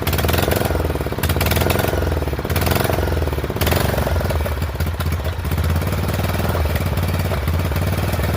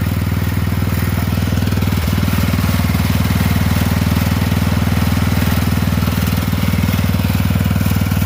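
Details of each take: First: Poulan 12538 XT riding mower, 12.5 hp single-cylinder, 38-inch deck, hard starting, hot: uneven lumpy chugging, loud irregular beats, wavering speed; owner suspects intake and exhaust valves not set right, plans to readjust when cool; rough running. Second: Poulan 12538 XT riding mower, 12.5 hp single-cylinder, 38-inch deck, final run after new carburetor fitted, brake on: steady thump at even fast idle, no misses, surging or knocks; repair done, normal running.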